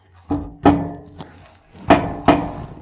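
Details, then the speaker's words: 1979 Chevy Caprice, uneven hollow clunks about once a second from the rear as a loose component strikes the trailing arm bolt. "oh oh oh wow okay look at this that's hitting right on that bolt right there for the uh trailing arm"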